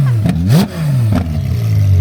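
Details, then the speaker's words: Rebuilt crashed Ferrari 812 Superfast driven slowly in second gear, with a downshift blip. The car crab-walks, with passenger-side suspension suspected. The revs rise and fall smoothly with even firing and no knocks; healthy engine. "Obviously, we're not driving very fast right now, but uh it sounds healthy, too."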